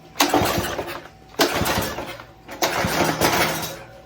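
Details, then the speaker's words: Very old pressure washer that won't start: three pull-starts, each with a few quick pops as it briefly catches, then dies. Carb cleaner has been applied; the owner suspects bad gas, and spark is not yet tested. "There we go. It's coming to life a little bit."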